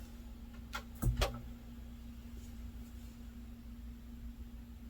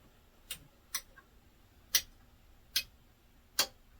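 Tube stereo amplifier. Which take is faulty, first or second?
second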